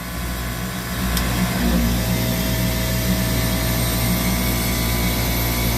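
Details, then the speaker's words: Copeland digital scroll compressor with controller module: steady hum with a faint periodic load shift as the unloader solenoid energizes and de-energizes; normal capacity modulation, no knocking or grinding. "and what you're hearing is this solenoid energizing and de-energizing so if i pull this wire the solenoid will not activate and the compressor will run at full capacity right"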